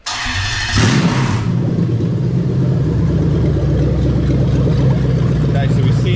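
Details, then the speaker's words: LS430 3UZ-FE VVT-i swapped into a Lexus IS200 with J160 manual and remapped ECU, first key start on a new plug-and-play harness: a quick starter whirr, then it catches right away into a strong, steady idle. "okay so next thing we're going to do now is we're going to start the engine up"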